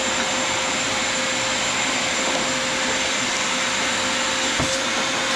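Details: Vacuum after a napkin clog was removed: steady, even high-pitched whir with a constant tone and no surging or choking, pulling freely. Normal running.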